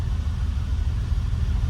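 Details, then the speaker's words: Ferrari first start after sitting, new plugs and penetrating oil, fuel pump switched on first: deep low rumble at fast idle, slightly lumpy but holding steady, sounds half decent; some smoke seen, possibly off the manifold; normal running. "that sounds half decent"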